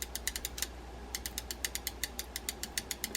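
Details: Penn Beachmaster 160 reel after a full service, in main mode, with its faulty anti-reverse dog flat spring replaced by a modified Mitchell 300 spring. A crisp, even ratchet click at about seven per second with no skips. The anti-reverse engages normally.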